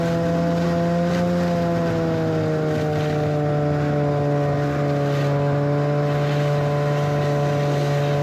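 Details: 1991 Arctic Cat Prowler 440 two-stroke snowmobile after revival: carbs checked, fresh fuel, throttle safety switch bypassed, earlier one-coil miss resolved. Steady buzzing drone that rises slightly and settles, even and uninterrupted under riding load. Flawless after about an hour's riding.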